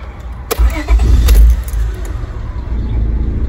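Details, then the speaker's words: 1999 Honda Odyssey after swapping back to the new relay, previously crank-no-start: brief crank catches at once into a steady, even idle; normal start, fault traced to the relay. "she starts right up so this is the problem that's interesting"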